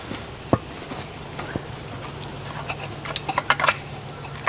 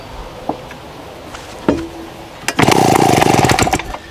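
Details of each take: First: Vintage small chainsaw, 23.5 pounds, straight-tube exhaust, primed then started: quiet priming, then it catches and screams about two seconds with sharp raspy exhaust crackle and a nasty snap; fairly loud; normal running. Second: Vintage small chainsaw, 23.5 pounds, straight-tube exhaust, restarted with a bit too much fuel: sharp pulls, then a brief loud uneven popping run that dies away; running rich from over-fuelling.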